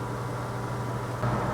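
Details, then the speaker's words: Maytag Neptune TL top-load washer (FAV9800AWW/FAV6800AWW) after a clutch replacement to fix the UL unbalanced-load error: smooth, steady low hum of a fast drum spin, freewheeling with no grinding or thumping, so the spin is normal. "the last four minutes you can hear it spinning freely with no grinding noises if there was grinding it wouldn't even spin this fast it would just be spinning really slow drive you nuts"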